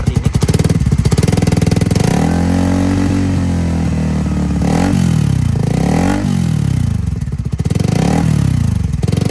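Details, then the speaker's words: Suzuki Satria injection motorcycle with a 3-level DB killer silencer used over 2 years, revving: a loose valve plate wobbles and rattles with a metallic knock that stops when held; an air leak also reduces damping. "Nah, kalau Anda dengarkan, saat saya memegangnya, suaranya menghilang. Suara seperti ketukan logam itu menghilang."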